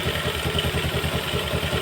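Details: Yamaha Jupiter MX motorcycle at idle after repair of knocking and smoking (piston block and damaged parts replaced, original connecting rod found still good): even, regular idle pulses about five per second, no knock or clatter; engine sounds smooth and healthy.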